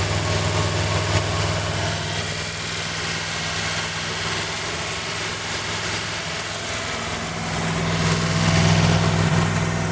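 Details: 1940 Buick straight eight on its first start in 30 years after a valve job, valve cover off with oil spraying everywhere: runs steady but fast, speed drifting up near the end, with idle held high by the rusted-stuck idle adjustment cam.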